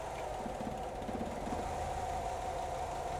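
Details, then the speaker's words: Petrol engine idling with a brief uneven stumble as a misfire is deliberately induced by temporarily disabling ignition coil number four, then steadying again. "now I'm going to come on on this side of the vehicle and indu a misfire by disabling a fuel injector for the same amount of time and if you listen carefully you'll hear the engine misfire"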